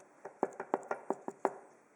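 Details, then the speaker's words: Tapping a freshly milled part for a homemade slotting head: seven light, evenly spaced taps, each with the same dull tone; sound identical everywhere, so the part did not warp after machining, without heat treatment. "Слышите, звук одинаковый абсолютно. То есть деталь не покрученная осталась."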